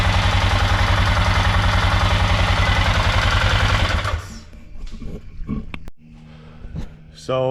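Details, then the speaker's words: Polaris Sportsman 500 after top-end rebuild, idling single with fast even clatter about three and a half beats a second, then shut off; cause unknown, owner may swap the manual tensioner back to the old automatic hydraulic timing chain tensioner. "if anybody's got any idea what that could be I don't know I might try putting the old chain tensioner back on the automatic hydraulic timing chain tensioner and see that makes a difference"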